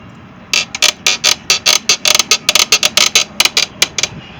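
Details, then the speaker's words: Mercury 115 EFI outboard with its mounting bolts loose: rapid uneven bursts of sharp metallic clatter, about two a second, as the motor bounces on the transom; fix is tightening the mount bolts. "Because the motor's coming off of the transom. I mean, when he's put in the driveway, I could hear the motor bouncing up and down."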